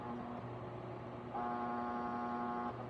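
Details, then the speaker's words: Wahoo Kickr Headwind fan at about 75% speed: steady low hum with a thin higher whine cutting in, and vibration felt by hand on the housing; fan vibration noise most noticeable in the 50–75% range. "you can feel there's some vibration here hopefully you can also hear it i definitely can"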